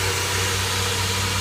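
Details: 2005 Honda Odyssey on jack stands, held in gear while power braking; steady low drone with a coarse buzz, occurring only in gear: catalytic converter vibration, cured by clamping hose clamps around each end of the cat.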